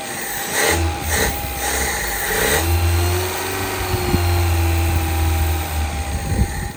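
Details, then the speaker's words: 1975 Honda Civic CVCC engine, revived after fuel delivery troubles and flooding: after a few rough catches and a rev it settles into a smooth, steady, quiet low idle with no knocks or misses; sounds like a new motor. "I can't believe it sounds that good. It sounds like a new motor. It's super quiet. Super quiet."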